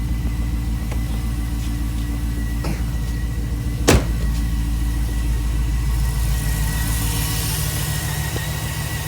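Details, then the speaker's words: 2006 Jeep Grand Cherokee SRT8 6.1 Hemi V8, about 335,000 km, cold start dropping to lower idle: faint uneven chug from a cylinder 5 misfire (P0305) despite new coils, spark plugs and rebuilt injectors. "Now right now, I don't know if you can hear it, but you can actually hear the misfire where the vehicle's got a bit of a chug."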